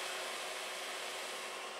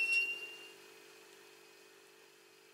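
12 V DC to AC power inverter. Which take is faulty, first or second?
second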